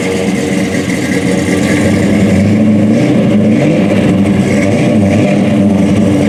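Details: General Lee tribute with 426 HEMI V8 and 871 blower, MSD ignition, 5-speed Tremec, detuned for street (est. 800–900 hp when fully turned up): deep steady rumble climbing cleanly with each throttle blip and settling smoothly; healthy.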